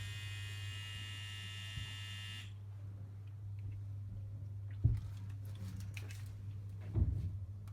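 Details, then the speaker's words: Immortal Innovations KillerBee tattoo machine after running-in, as after a strip and rebuild: steady low hum with no rattle or knock, just a few handling clicks. The initial rebuild noise has gone and it runs smoothly. "that when you put it back together, it will make this same noise, and but that noise will go. So there we go, that's that machine running."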